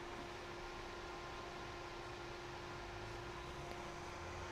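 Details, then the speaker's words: Carlsbro Powerline 300 amplifier after fan replacement, switched on: soft steady airflow hiss, faint constant hum, no rattle or bearing growl; much quieter than old fan, healthy. "Well, it's putting out a nice breeze. That's certainly a lot quieter than that last fan."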